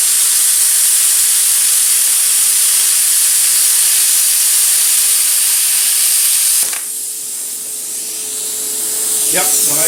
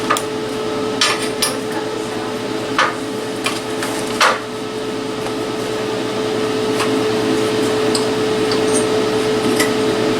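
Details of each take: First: Cheap eBay plasma cutter cutting 3/16 steel plate with slag and scale, going slower for a better cut, compressor shut off so air pressure is low; steady arc hiss with faint thin tone. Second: Cheap eBay plasma cutter cutting with the air compressor now on, giving steady 70 psi input pressure; steady rushing hiss with faint hum and few crackles, cuts much better than with the compressor off.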